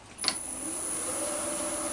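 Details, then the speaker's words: New Axminster 1628VS woodturning lathe: click on, then a smooth motor whine rises over a couple of seconds to the preset speed and settles evenly; normal soft-start spin-up. "And it does take a second or two. It's like a soft start on here. it won't instantly go to a 1,000 revs. It takes a couple of seconds to work its way up."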